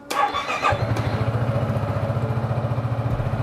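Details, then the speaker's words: Yamaha XMAX after replacing the keyless fob battery, fob about 1 m away: short crank, then it catches at once and settles into a steady idle of about two pulses a second; starts normally. "langsung nyala sekarang karena memang udah langsung terkoneksi."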